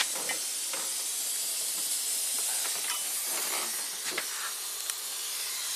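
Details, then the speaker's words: 2006 Nissan Maxima V6 manual, AC charged with 2 lb refrigerant, engine off: steady high-pitched hiss as refrigerant escapes fast from a smashed, bent front condenser; pressure drops quickly. Refrigerant leak hiss. "I just want some refrigerant. Oh yeah, huge leak"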